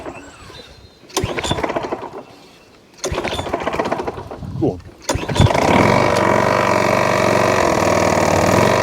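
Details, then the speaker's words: Old Mountfield 414 rotary mower, bought cheaply, with a working drive: after a couple of pulls it runs with a regular knock about four a second; owner suspects rod knock, not confirmed. "but my Christ do it make a knocking noise I think it is a rod knock let me know what you think in the comment section it do sound like Rod knocked on me"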